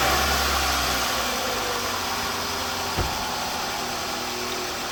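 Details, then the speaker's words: Toyota Tarago/Previa/Estima, 2000–2005, 2.4L four-cylinder, just after starter motor replacement. The engine cranks, catches and settles into an even, steady idle with no grinding from the new starter; normal. "There you go. You shouldn't hear any grinding or anything here. It should be smooth like it is right now."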